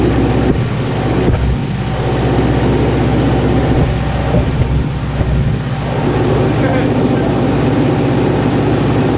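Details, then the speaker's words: Neglected Kawasaki ZG1000 Concours after its gelled-up carburetors were rebuilt: steady, smooth low drone holding an even idle with no misses or mechanical knocks; normal idle. "put the motor all back together as you can see we built them and now we're going to see if it runs should run good we'll see Wow that sounds good"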